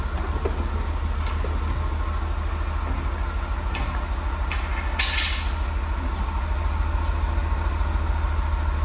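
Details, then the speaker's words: Guanci SSJ late-1970s mid-engine V8 prototype, first start after 20-plus years sitting: deep, steady V8 idle burble with an even low pulse, no misses or knocks, running clean. "Oh, that's clean. That's This is insane! It just started."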